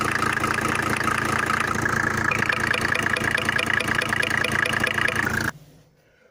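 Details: Mercedes W124 with swapped OM603 3.0 diesel, idling: sharp regular tick-knock about four a second over idle; traced by touching lines and stethoscope to injector on cylinder five, suspected sticking nozzle, to be bench-tested and replaced.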